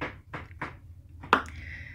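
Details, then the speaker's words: Samsung TV, diagnosing the T-con board: with a T-con capacitor shorted to ground, three quick soft clicks then a sharp ping and fading ring as the set shuts off, retries and blinks, repeating the original fault. "vuelve el televisor a básicamente prender apagarse el titilando problema en la tarjeta t-con con un condensador aterrizado a tierra amigos y de esta manera Presenta la falla correspondiente"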